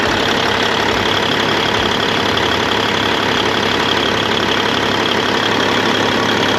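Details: 1998 Freightliner Classic, Cat 3406E diesel, after replacing injectors and cups (fix for fuel dumping into oil at idle), injectors set at 52.32, fresh oil, 68 psi oil pressure: steady light regular idle clatter, no misses or knocks; normal idle.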